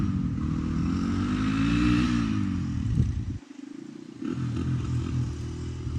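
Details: 1985 Honda XR350R single-cylinder four-stroke, revived after sitting outside 6–7 years, first ride after carb overflow leak fixed: revs up, drops off to near nothing, picks back up unevenly; carburetor still out of adjustment.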